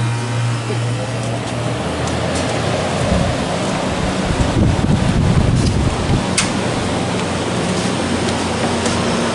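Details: 1993 Comfort-Aire window heat pump with reciprocating compressor, cool mode, 81°F day: low steady hum with fan rush building as the compressor kicks in, then an even run; normal cooling startup.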